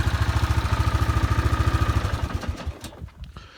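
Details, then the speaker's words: Kawasaki Bayou 400 ATV, warm after at least an hour of runtime, not overheating: even single-cylinder thump at idle, steady until it dies away, running great. "I've been driving it around now for, it has at least an hour of runtime on her. And she's running great, not overheating or anything."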